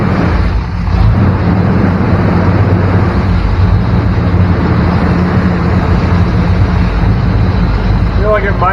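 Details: 1994 Chevy K1500 Blazer idling around 1500 rpm after a vacuum nipple was patched with hose: steady, noticeably fast idle that never drops; leak suspected at the throttle body base gasket.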